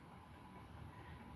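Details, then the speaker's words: White 52-inch outdoor Craftmade ceiling fan on high speed after its blades were re-pitched and leveled gives a steady low rumble with a faint hum of bearing noise; no wobble. "Low and medium doesn't have a very big difference, but high speed is where the big difference happens. Here's high. And this is where you hear the bearing noise."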